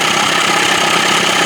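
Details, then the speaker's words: Johnson 25 hp two-stroke outboard, after fixing a lean sneeze (suspected clogged slow-speed circuit) without removing the carb and readjusting the throttle linkage so the middle butterfly opens: even, steady idle buzz, no stumbling or sneezing. "Mark butterfly is closed just as I roll it up in the middle butterfly starts to open she idling better that position"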